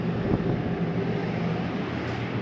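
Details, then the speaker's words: 2022 Coachmen Catalina 303RKDS travel trailer, air conditioner switched on at the thermostat: steady low hum with an even fan rush, no rattles or squeals; the AC is running normally. "Go ahead and turn the AC on. Oh, turn that down. There's your AC kicking on."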